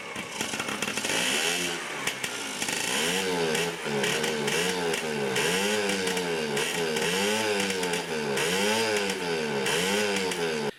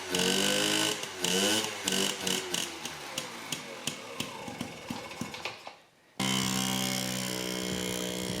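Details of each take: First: Yamaha QT50 moped (78 or 80) on first kick with choke, 40:1 premix, possibly wrong spark plug: surges and sags in uneven waves about once a second, never settling to idle; intermittent spark later blamed on a faulty charge coil. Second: Yamaha QT50 moped (possibly 78 or 80) after charge coil replacement: a few sputtering pops on the kick, then it catches and holds an even, buzzy two-stroke note; fired right up, running normally.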